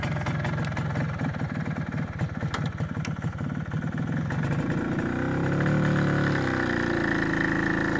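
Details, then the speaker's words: MZ ES 250/2 two-stroke with a Bing 84 carburetor, lean mixture, after a slightly larger main jet: pulls well at full throttle, but a metallic ringing hum still rises over the exhaust at part throttle; lean part-load pinging. "A plena carga, el motor arranca bastante bien, pero aún se puede escuchar claramente el zumbido a carga parcial."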